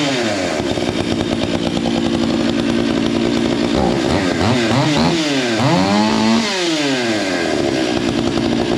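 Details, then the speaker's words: Stihl MS461 with Westcoast Saws kit, Maxflow air filter and carb limiters removed: blips up and down with a soft, burbling, lazy note that never cleans up. The carb is running a bit rich. "I haven't touched the Jets from where I set them it's a little bit Rich right now"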